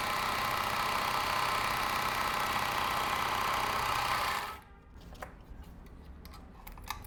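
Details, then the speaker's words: Overlock sewing machine stitching jeans after the needle-bar touching problem was addressed: a fast, even rattle at about four beats a second with no knocks or grinding, stopping cleanly; its normal sound. "आपको जो बताया यह original आवाज है machine का।"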